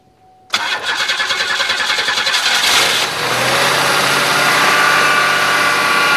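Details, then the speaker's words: 1993 or 1996 Buick LeSabre with a fuel leak, fresh battery: cranks about two and a half seconds, catches cleanly and settles into smooth even idle; healthy start. "well she started pretty good cuz it does have that fuel leak"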